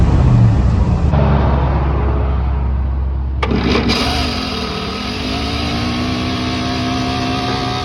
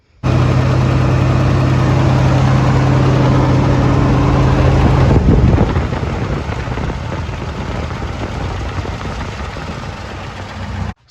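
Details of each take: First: Truck engine after ignition module (under the distributor cap) replaced: short crank, catches and idles with an odd buzzy intake note from the air cleaner lid just set loosely on the carb. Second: Square-body GM truck after replacing the ignition module under the distributor cap: deep, even low rumble at idle with a steady firing beat and no misses or stumbles; normal idle.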